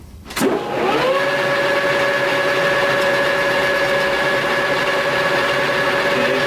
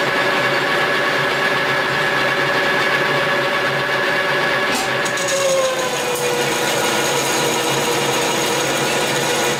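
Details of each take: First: Lathe facing cut at about 50 thousandths depth on a slightly wavy part. Steady, even hum with a constant tone that holds without bogging down; the cut is well within the machine's capacity. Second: Lathe facing cut with a hand-ground brazed tool bit at a 70 depth setting: a steady cutting hiss, with the motor tone sagging midway as the heavy cut pulls the machine near stall.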